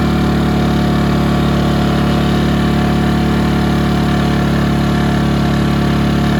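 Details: Ryobi RYi2322 inverter generator bought as non-running, now running steady and even with no surging or misses after clearing a carb jet blocked by fuel left in the float bowl; app shows 0.1 hours runtime, essentially new.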